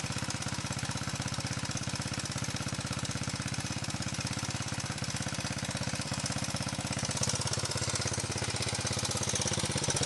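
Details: 125 XLS engine running with a steady rapid tapping, about three beats a second, that stays even as revs rise; abnormal engine noise, source not pinned down.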